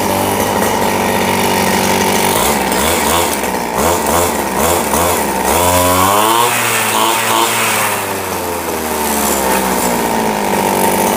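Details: RBC 411 four-stroke brush cutter after replacing damaged clutch shoes (clutch bowl broken, blade wasn't spinning); revs up and settles smoothly, no rattle or scrape from clutch: normal running.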